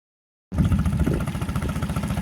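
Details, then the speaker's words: Outboard on a jon boat, first run in 10 months, running with the fuel line unplugged: it fires and settles into an even, low burble without misses or knocks; normal running. "well I don't know how much longer that's going to run with the fuel line unplugged but first time hearing this thing run in you know 10 months"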